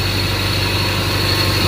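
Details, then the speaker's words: 1992 Toyota Celica idling with a failed alternator: engine idles evenly with a thin, steady high whine from the non-working alternator, which is then replaced. "So, I don't know if you guys can hear that, but if you guys can hear that, like it's almost like a whining noise, but that noise that you guys are hearing"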